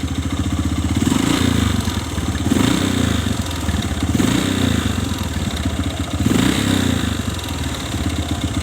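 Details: Kawasaki ZX motorcycle engine, rough hollow clatter that rises on each throttle blip and rattles on as revs fall, quieter at idle; no smoke from exhaust; mechanic diagnoses a worn, loose piston (piston slap).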